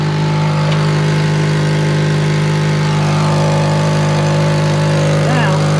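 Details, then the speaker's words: 2003 Honda Element at idle, heard from underneath: steady low drone with rhythmic chuffing of escaping exhaust, profoundly loud; exhaust leak traced to the blown donut gasket joint. "so this is where our leak is coming from [Applause] so it's as simple as that and then from there if this gasket is leaking go online and look up an exhaust diagram for your car"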